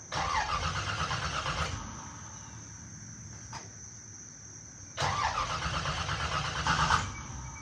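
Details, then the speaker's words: Small-block V8 Camaro with a choppy cam and straight open headers, sitting three weeks: true cold start where the engine catches, revs twice and settles to a lumpy idle; a healthy start. "so it's this is like the truest cold start you can get besides it being 20 degrees outside"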